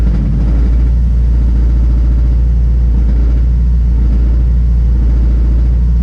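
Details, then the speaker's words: Turbo Honda S2000 on stock internals, at idle: light quick metallic rattle still present over low rumble; owner suspects low oil level and will top up, otherwise more digging needed. "okay so I still hear a little rattle I think I'm a little bit low on oil so I'm gonna add some oil see if that quite sit down some"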